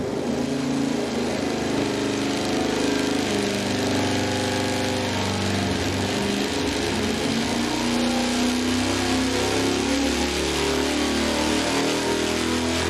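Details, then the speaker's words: 514 cubic inch big block Ford V8 on the dyno under load: runs rough with a ragged stumbling beat and violent shaking, worst ever seen; severe misfire under load. "That was the worst thing I've ever seen on engine masters. And you know, I had to take a roll back out of that one and give it a nice slow check again because it was I've never seen one shake like that on the dyno."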